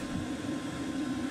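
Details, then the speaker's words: Chinese diesel heater shutdown: fuel cut after soot burn-off, glow plug coming back on, fan slowing down; low steady fan hum easing off, normal spin-down. "and you'll see the glow plug symbols come back on because it's cutting the fuel out you can hear the fan slowing down"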